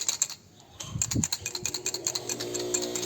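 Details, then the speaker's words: Starter motor from a Celta that cranks slowly or heavily, removed and on the bench, rocked by hand. Loose, irregular metal ticking and rattling from dry, unlubricated planetary gears inside the starter. "Já estou com o motor de partida em mãos e logo de cara percebi um barulho ao balançar ela veja"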